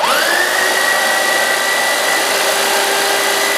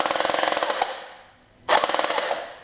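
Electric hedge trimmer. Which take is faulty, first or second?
second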